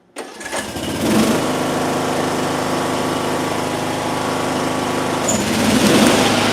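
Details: Mower engine in a coil air-gap test at 0.015 in gap, possibly not warmed up, blades engaged to load it: pull-start catches quickly, steady even drone that bogs slightly and holds under blade load; runs fine.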